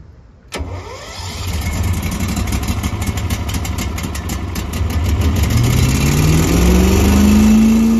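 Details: Small gasoline engine's first spring start after winterization with fuel stabilizer, fogging oil in cylinder, battery stored warm, full throttle; brief crank then catches immediately, settles to smooth steady idle rising slightly as it warms; small smoke pop is burning fogging oil.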